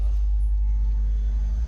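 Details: Amplifier mains hum from a ground loop: loud, steady low buzz with no rhythm that changes and gets louder as the ground wire is moved to different points.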